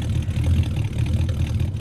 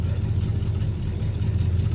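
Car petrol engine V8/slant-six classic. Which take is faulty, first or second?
second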